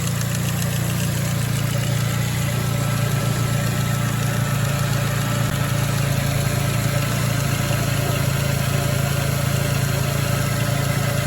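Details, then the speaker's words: 2006 Ford Focus ZX4 at idle, before idler pulley replacement: steady idle with a constant low rubbing drone about four pulses a second; worn idler pulley bearing noise. "so here we go we got almost a rubbing sound"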